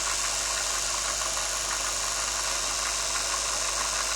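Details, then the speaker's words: BWS 230 motor on the bench at about 7 V: a steady, even whir at low speed with only gear hum, no snagging, crackle or brush sparking. It runs smoothly; brush sparking appears only near 20 V. "acuma cu o tensiune de circa 7 V Deci se poate observa că nu agață nu Flame"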